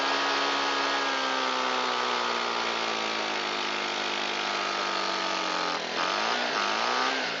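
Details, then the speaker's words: Shindaiwa EB254 Hybrid4 4-stroke blower, long unused, on fresh mixed fuel with choke and throttle locked: holds a flat, strained mid-speed drone and sags instead of climbing to full revs. Owner suspects stiff carburetor diaphragm and pump parts. "I'm sure the carburetor has some pretty stiff diaphragm and pump parts inside it, which is why it won't come up to full throttle."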